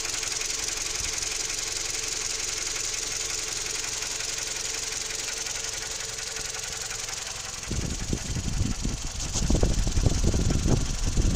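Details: Toyota 3ZR-FAE engine with CVT; knock heard only when fully warm, light quick knock about three to four beats a second at idle, then harsher louder clatter; it quickens when the brake pedal is pressed; cause unclear.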